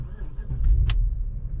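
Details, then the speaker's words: BMW E53 X5 4.8is (about 355 hp) with 2,364 miles, started at 57°F; a quick crank catches at once and settles into a smooth, even low idle with no stumble, a healthy start. "fires right up wow"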